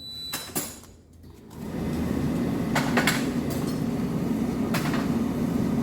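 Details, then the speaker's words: Hotpoint/Ariston tumble dryer after repair of broken main drum shaft and drum refitted with three screws: steady even tumbling rumble with soft swish, no scraping or friction noise; running normally. "This machine is running without any abnormal noise."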